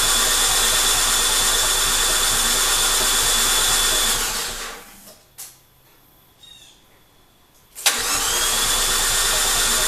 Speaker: so you notice what it's cranking it it doesn't sound right something that's got no compression and it fits exactly the other thing it doesn't have is any fuel in the rail so it has to Prime